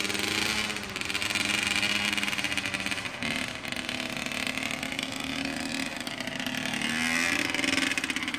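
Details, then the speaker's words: A 2003 Honda CR85R two-stroke on its first ride after a full motor rebuild, being broken in gently with heat cycles. The buzz is crisp and raspy, pulling and easing through the revs with clean pickup and no rattles or misfires. Normal, healthy running. "That's the first ride after the full motor rebuild. Can't be ripping it like that. Gotta break it in."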